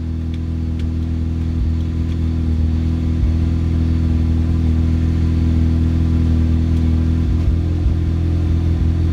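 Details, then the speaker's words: Mazda FD RX-7 after a long sit during an interior restoration, with the AC unplugged, microphone turned away: the engine fired after one or two cranks and settles to a steady, smooth rotary idle without belt squeal. "So I just fired right up after one or two cranks."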